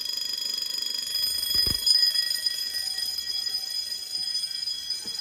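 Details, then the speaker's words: Home-built Fire-Lite MS-9200UD fire alarm system after a bedroom pull station is pulled: continuous high, rapid metallic bell ringing with relay clicks from the Simplex SmartSync control module underneath. Fire alarm bells sounding. "Now, hearing the bells in continuous is cool and all, but I'm gonna actually change the coding option to code 3 once I reset the pull station."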